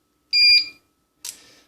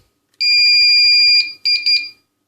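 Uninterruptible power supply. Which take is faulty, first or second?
first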